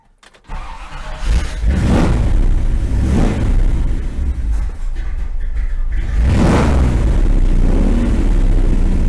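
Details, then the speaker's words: 1957 Chevy V8 long stored, fuel pump reconnected: holds fast idle about 1800 rpm, lowest 1600, swelling and sagging every few seconds, won't idle lower; suspected stuck carburetor float giving too much fuel, runs fine without the fuel pump. "Yeah, the float is still stuck, I think. It runs at high idle. You know, I'm running about 1800 RPM right now. It'll run at 1600, it's about as low as it'll run."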